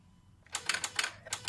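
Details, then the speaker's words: 2013 Ford Falcon EcoLPi, key on with the engine off, a red wire at the power distributor wobbled. Quick, uneven bursts of sharp relay clicks as the poor connection makes and breaks, leaving the car immobilised. "I'm not sure that's the one or not, but when I try to wobbling the red wire here, I can hear the noise from a car."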